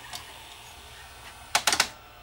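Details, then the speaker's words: Early-1980s JVC HR-D130 VCR, about 40 years old: quick cluster of four sharp clicks as the tape-threading mechanism moves and threads only one side; broken tooth on plastic counter-rotating gear. "I guarantee you the tooth is broken off of that gear it's only threading one side and we'll hear it clicking probably on the way back"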